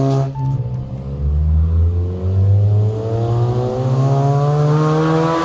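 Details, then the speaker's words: Honda CR-V running with the catalytic converter removed: deep, raspy, very loud unmuffled exhaust note that climbs with revs during a drive-by. "that is obnoxiously loud oh my god that is so loud so loud"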